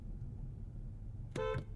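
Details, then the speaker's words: 2022 Kia K5 GT, 2.5-liter turbo 4-cylinder, 8-speed DCT, recorded inside cabin: over quiet interior murmur, one short clean horn blast about a quarter second; normal horn. "And the world famous horn test is up"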